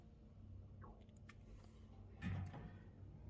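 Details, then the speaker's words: Maytag top-load washer (MVW4505M/MVW5035M) started on warm, heavy-soil towels, maximum fill, big load: one short dull clunk as the lid lock pin pops out, normal lid lock engaging at cycle start. "Let go. You hear that clunking? And you should see a lock pop in here"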